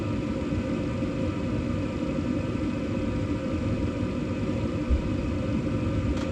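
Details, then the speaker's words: 2012 Bryant Legacy Line gas furnace on its first startup of the heating season, 50°F outside, recorder placed at the back to hear the blower. Smooth, steady low rumble and airy hum with no knocks or scraping; blower running normally, duct air not warm yet. "Okay. Well, there we go. It's running. First time in the 2025 2026 heating season."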